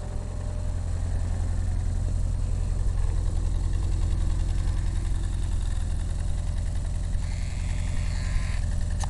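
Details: ARO engine at idle: steady, low, uneven tapping about three to four times a second under the rumble; knock of unidentified origin in the top or bottom end.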